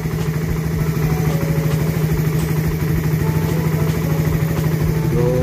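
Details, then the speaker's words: Second-gen Suzuki Raider 150, repaired after it got very noisy and stopped running: small single-cylinder engine idles steadily with an even quick beat, no knocks or rattles; still somewhat smoky; normal idle. "So ano to second gen yan ganyan yung tunog ng makina ni paps"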